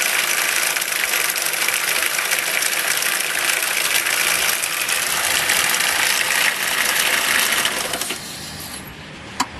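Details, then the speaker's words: 1.6 car with 130,000 km and a secondhand replacement gearbox, at start-up: busy uneven metallic rattle over the running engine; suspected related to the gearbox swap, source unconfirmed. "that's not really going to interest anybody when they hear that running like that so I'm going to uh going to investigate and see what's making that Rattle"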